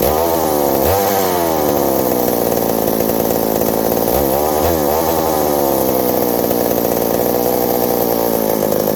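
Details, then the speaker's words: McCulloch 790 (MC101) chainsaw with new 090 carburetor, muffler loosening from broken bolt: revs sag and surge unevenly under load, pitch dipping twice; owner thinks it's fuel-related, suspects an intake gasket vacuum leak, unconfirmed. "Acting like it's fuel now. Yet again. I don't know."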